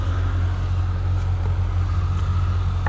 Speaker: So that tractor sure does sit there and run nice though, doesn't it? Not a rattle or a bang or nothing out of them. Oh, still wants to warm up.